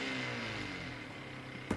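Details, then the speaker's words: Permanent-magnet 24V wheelchair motor freewheeling with no load, its brake released by a separate 24V battery supply, the motor fed from a bench supply at about 24–25 volts. Steady even hum with a high whine near 2 kHz, no knocks or grinding; turning well, healthy. "okay so at 12 volts for example 11 volts motor still turning pretty good"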